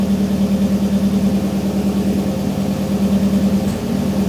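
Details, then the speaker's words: Freshly self-built engine on its second start, idling lumpy with an occasional stumble, a slight misfire; owner suspects the very old reused S14 fuel injectors or debris from the manifold sitting; no smoke test done yet. "So, there is a slight misfire. It very, very well could be my old cuz I'm using the old fuel injectors from the S14 that were old when they were on the S14."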